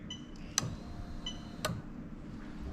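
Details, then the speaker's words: Lexus SC430 3UZ-FE VVT-i harness adapted to IS200 with J160 manual gearbox, ignition on during ECU test: three sharp clicks about a second apart over a faint fuel pump hum; fuel pump relay clicking normally. "so as i turn it on you have the fuel pump working and then coming up here you can actually hear the relay clicking"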